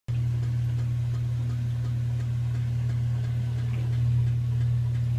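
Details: Samsung washing machine during the rinse cycle, after a repair: a low steady hum with a light, repetitive clicking on top that was not there before the fix.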